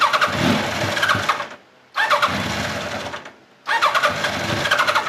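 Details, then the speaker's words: 1989 Kawasaki ZX-10 (ZX1000) with Keihin carbs, on the enricher and running rich, catches and runs rough about 1.5 s, then fades and dies, three times over on throttle; the carb slow (idle) circuit is suspected. "as soon as you get into this thing at all it just dies that's slow circuit"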